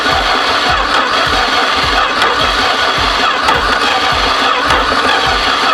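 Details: 1973 Duster slant six, unrun 21 years, after new distributor cap and rotor, reseated plug wires, vacuum leaks found: starter churns with steady rhythmic compression pulses for several seconds, never catches; cranking, no start.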